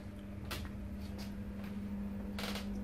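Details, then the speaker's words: British Gas 29 CC1 boiler showing C1 fault code: only a steady low pump hum with a few clicks and no rush of air, so the fan is not running; fan suspected failed, 240 V supply at fan plug still to be tested. "can't hear the fan running as I said earlier your thinking here is the pump"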